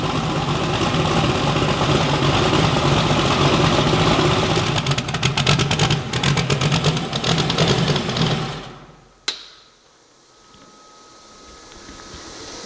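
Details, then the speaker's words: Bibbster hot rod V8 idling, first fire-up after finishing the cooling system. The tune was richened to cure a slight idle surge and now runs fat; the cold-start setup may need changing. Lumpy, even rumble with blips, then a clean shut-off; no misfire: normal idle. "she's ready. Sounds good. I actually fattened up the tune-up a little bit. It was kind of surging a little bit at idle."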